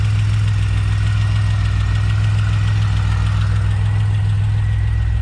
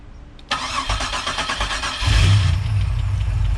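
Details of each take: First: Pontiac Bonneville SSEi, freshly swapped supercharged L67 with ZZP VS cam, intercooler and ported M90, first start: steady low idle with light fast tapping about three a second; suspected balancer or lifters short of oil, unconfirmed; oil pressure reads 60-80. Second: Bonneville SSEi on the first start of a new L67 swap with a ZZP VS cam, intercooler, ported M90 supercharger and new tune, started with a jump box. A brief crank, then it catches quickly into a smooth, steady idle; oil pressure is high, and a tapping noise, possibly lifters or the balancer, is suspected afterward.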